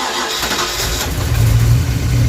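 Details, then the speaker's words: 1988 Ford Mustang GT V8, after tightening loose, misadjusted rockers: cranks and catches quickly into a firm, even rumble, with the earlier top-end rattle gone. "Oh, much better. Sounds beautiful. Yes. Perfect. That's what it was."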